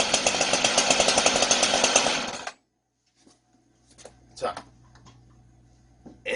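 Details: Two-stroke chainsaw restarted with the choke opened after the first start: sharp, high-pitched buzz, even and steady for about two seconds before cutting off; normal running.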